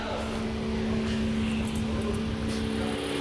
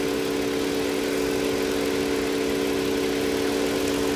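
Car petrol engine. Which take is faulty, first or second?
first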